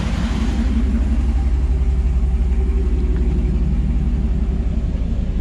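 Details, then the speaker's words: 2009 Hemi Ram 1500 after an AC compressor field coil and clutch repair, the coil snap ring having worked loose: steady smooth hum with the clutch engaged, no squeal, chatter or belt slip; clutch gripping normally. "you can hear that there's no noise out of that AC clutch compressor so it's gripping real nice"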